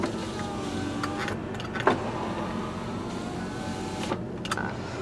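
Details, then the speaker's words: 2004 Kia Amanti with 13,528 miles, engine running with heater on: short, smooth window-motor whines as the glass runs down and back up, steady pitch, no grinding or stalling. Normal power window operation. "first thing we're going to check out power windows all right you can see down and up no"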